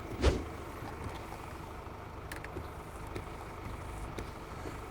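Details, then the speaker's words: Mercedes-Benz wiper after hand-adjusting the blade link, heard outside in steady rain: only a soft even sweep and one light thump at the start, no chatter or squeal; noise almost eliminated. "소리 없죠? 거의 없습니다. 와, 신기합니다. 거의 성공했어요."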